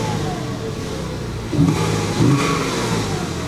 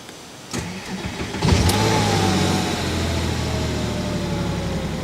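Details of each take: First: 2000 Porsche 986 Boxster S, pre-facelift with dual-row IMS bearing, driven about 250 miles home and running well apart from a large oil leak. Two throttle blips from idle; revs rise and fall cleanly with no misfire or knock. Healthy engine. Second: Porsche Boxster S, on startup: engine fires and revs up, then a brief metallic rattle over the fast idle for about two seconds before settling; source unclear, possibly normal startup rattle for these cars.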